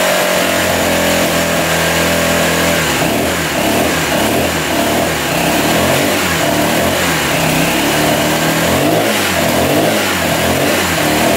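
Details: 1985 Honda XL600R single, sat a couple years, oil put down the cylinder, started on choke: catches and revs in uneven bursts, then drops to a lumpy idle, smoking; weak, consistent with low compression.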